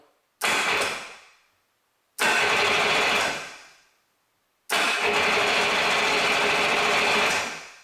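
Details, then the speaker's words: 1988 Yamaha Wavejammer with a no-start, weak-battery-like issue, solenoid checked and hooked to a good strong battery: three strong bursts of brisk, even full-speed starter cranking; motor now turns over properly, normal cranking. "a good strong battery on there get this motor turning okay so that fixes that problem"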